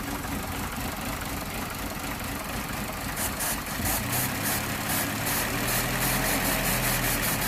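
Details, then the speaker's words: Vauxhall/Opel Corsa D Z14XEP running with a suspected misfire and short-term fuel trim around 25%: uneven idle with a faint sucking hiss, heard close to the engine, indicating an intake vacuum leak letting in too much air. "actually around the engine when you put your head really you're here really close eye area you can hear a kind of vacuum leak it's sort of a section happening there"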